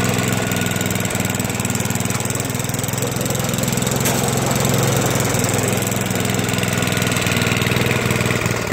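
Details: Toro 421 snowblower, unstarted for about 2 years, after cold start with fuel valve on: small single-cylinder chugging at steady speed, even beat, no surging or stalling; normal running.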